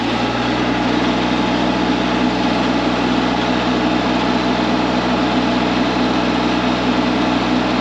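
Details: Cat 302.5 mini excavator diesel after repair: steady even idle with smooth drone, substantially quieter than before and no longer rattling like a bag of bolts; engine sounds healthy.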